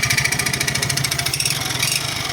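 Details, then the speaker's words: Yamaha Fino fuel-injected scooter, run dry of engine oil then refilled, idling with rapid metallic clatter about thirteen knocks a second and white exhaust smoke: piston slap from scored piston and cylinder. "ลูกสูบบาตนะครับเสื้อสูบเป็นรอยแล้วก็ลูกสูบเป็นรอยจะดังแบบนี้นะครับผมแล้วก็มีควันขาวๆออกท่อเสียนะครับ"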